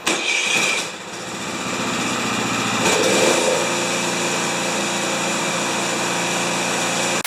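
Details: Craftsman 27-inch snowblower with a 13.5 ft-lb Briggs & Stratton electric-start engine, after servicing the chain and transmission: fires quickly, settles into an even fast buzzing run with no misses or surging; healthy.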